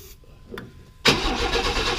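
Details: 1995 Chevy S10 Blazer, 4.3L Vortec V6, on a cold 32° morning after the rocker arms were tightened: quiet cranking, then a sharp bang into a rough, loud run, a backfire from too much starting fluid. It has no fuel system hooked up yet.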